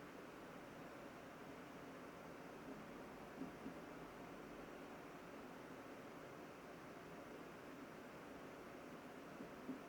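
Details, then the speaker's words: Eco mode on a 2025 HP Omen Max 16 gaming laptop with an RTX 5080 and a vapor chamber cooler: only a faint, even airy fan hiss with no whine, rattle or pulsing. Normal, quiet fan noise. "So as you can see here in eco mode, I'll just shut up for a moment so you guys can hear the fan noise here before we'll take some temperature readings and also fan readings before we jump on into the next mode."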